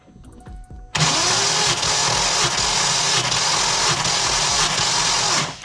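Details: Fox-body Mustang notch SSP coupe V8 being cranked by the starter during a wet compression test, with motor oil poured into the cylinder and a gauge attached. Steady even cranking for about 4.5 s with no catching.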